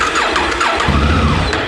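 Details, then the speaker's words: Africa Twin motorcycle started after about two months sitting on a battery tender, fuel pump priming first; brief starter whir, then the twin catches and settles into a steady idle — clean, healthy normal engine start. "Ooh. Okay, so we have a running bike, so let's go ahead and start with the other stuff."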